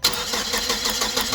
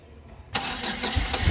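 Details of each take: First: Hyster S70FT forklift with GM Vortec 2.4 engine, waste-spark system, test light on coil for cylinders 2 and 3 while cranking: steady fast starter beat, no firing; crank, no start, no spark from coil. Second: Hyster S70FT forklift, GM Vortec 2.4 engine, previously not starting and misfiring/backfiring, after replacing coil and cables: cranks briefly, catches at once, strong even run with smooth revving, no misfire or backfire; starts normally.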